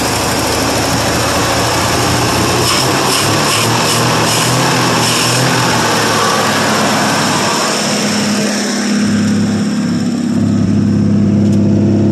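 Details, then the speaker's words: 1959 Ford F250 223 (possibly 262) straight-six running after a cold start following 3–4 years sitting: steady running, then the revs swing up and settle into a higher steady note; starts and revs cleanly. "yeah nothing too exciting for sound but the six cylinder will rig up"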